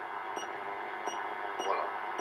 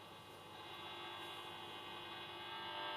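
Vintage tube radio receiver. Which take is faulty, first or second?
second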